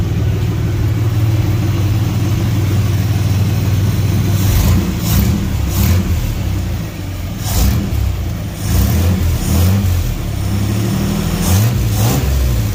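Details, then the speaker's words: 1954 GMC COE truck with a newly mounted Speedway chambered muffler, temporary and lacking its kick-up over the axle; a deep mellow exhaust rumble rises cleanly through throttle blips and settles back with no rasp or drone, much better than before. "let's fire it up and see what it sounds like all right let's hear this oh that's much better"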